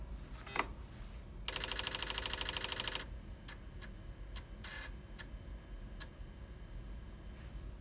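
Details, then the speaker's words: Floppy drive motor spinning and stepper moving the head in small steps; very quiet, even sound, normal floppy drive operation. "the drive is very quiet and even sound. Really all you're hearing is the drive motor spinning and the little stepper motor moving the head back and forth in little steps."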